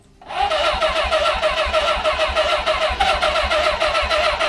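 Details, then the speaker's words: Suzuki GS-550 motorcycle, barn find off the road almost 20 years, old fuel in tank, carbs uncleaned, old plugs: starter spins engine over evenly with no firing; cranks but won't start; owner suspects electrical fault, no spark seen. "there could be an electrical F going on as well there I tried to fire so it must be sparking"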